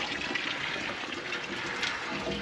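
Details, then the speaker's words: Dempster water pump that keeps losing prime: spluttering flow with hissing air bursts and uneven gurgle, air spraying out of the weep hole; pump is sucking air, cause not yet confirmed. "Yep. We're sucking air. I already hear it. And you can see air spraying out a wee pole right here."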